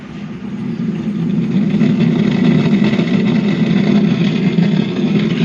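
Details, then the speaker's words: Cemex 9898 home theatre after repairing a no-power fault, on power-up sound check: a rough, raspy crackle runs continuously through the output with no clean tone, and persists after changing mode; distorted crackling audio. "ऊपर तो इसमें ऊपर तो बज रहा है दोस्तों, लेकिन खर खर खर की आवाज़ आ रही है।"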